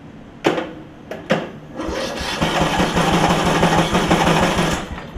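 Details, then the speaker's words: Craftsman LT1000 riding mower after deck belt and tensioner repairs: several slow starter cranks with sharp bursts, then an uneven puffing chug around three per second that never settles into a run; gas heard coming out, owner suspects a loose valve; hard starting. "and then it'll try and go i kind of hear gas coming out so i'm wondering if i have a valve that's a little bit sticky on this thing or not sticky but a little bit loose"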